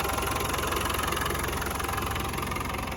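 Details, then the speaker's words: 1992 Land Rover Defender 90 200Tdi diesel with 161,000 miles, at idle after startup: steady, even clatter with regular firing, no misses or knocks, no tailpipe smoke; normal, clean-running engine. "no smoke out of the tailpipe running nice and clean"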